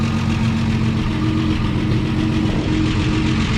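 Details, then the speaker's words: 1953 Chevy 4100 truck, first run after resurrection (points/condenser suspected for no spark), oil pressure off zero: deep steady idle with loose chuffing from a sizable exhaust leak, even beat, no knocks, misses or smoke; normal idle. "no smoke that's the way these things sound i know it probably sounds noisy to you but that's the way they are that's awesome back inside here it actually sounds really really good"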